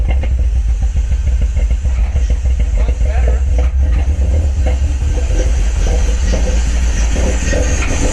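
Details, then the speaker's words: Cammed BMW E46 idling lumpy and uneven right after vacuum-leak repair; deep hollow suction roar from the open intake, loud because the cone air filter is not fitted. "Huh? It sounds like it's sucking pretty hard. Yeah, well, I don't have the cone on right now."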